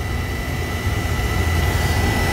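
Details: Oil burner previously shutting off and sooting, now refired after a cleaning with draft adjusted to about one over the fire; steady even low roar with faint high tone, no pulsing or rumble; firing normally.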